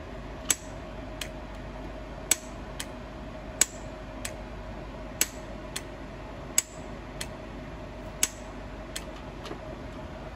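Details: Gas solenoid valve coil being tested: sharp crisp clicks, often in close pairs, over a quiet room hum as the coil pulls in and releases; the coil is working.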